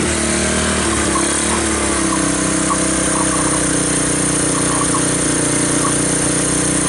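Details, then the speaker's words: 1986 Honda TRX200SX Fourtrax ATV, abandoned in bushes and unstarted for years, first start on choke with key switch bypassed: the small single thumps at a steady idle, slightly uneven but holding on its own; normal idle. "well I'm pleased so it starts and the wheels turned"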